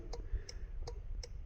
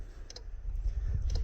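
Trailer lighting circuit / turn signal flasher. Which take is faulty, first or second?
second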